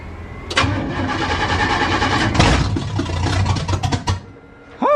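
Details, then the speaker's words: 406 engine, long steady cranking then it catches and revs before settling; very cold, hadn't started in a while, first start after installing a DIY relay fuse panel for electric fans and a universal key. "i guess it doesn't want to start really what am i missing"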